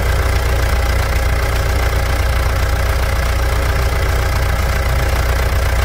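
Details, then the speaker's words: Mitsubishi Pajero Dakar 3.2 diesel, first start after valve adjustment, new timing chain tensioner and full bleeding: deep, even idle with a steady low chug, no rattle or tapping; healthy diesel idle. "vamos escutar como que ficou a melodia desse motor senhoras e senhores"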